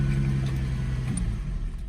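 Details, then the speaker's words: Manual car with a dead battery, clutch in, jump-started from an NPET P4F 1000A pack showing about 15 volts: a quick crank catches almost at once into a steady low idle hum, with no struggling or clicking; a good start. "And it jump started it there. Did pretty good actually."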